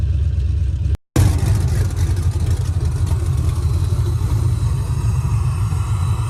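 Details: Nissan 300ZX with LS V8 swap, track car, tune loaded, after closing an open vacuum line that kept the IAC from holding idle: brief drop then deep steady rumble, no stumbling or hunting; normal idle.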